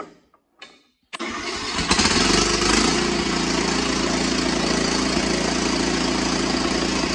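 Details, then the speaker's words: Cub Cadet XT1 with Kohler 18 hp engine, cold, after carburetor cleaning and choke adjustment for long cranking: short crank, fires and settles into steady run with faint rise and fall, slight surge; owner thinks it may fade when warm. "well you could hear it's doing a slight surging maybe that'll go away when it warms up it's pretty cold"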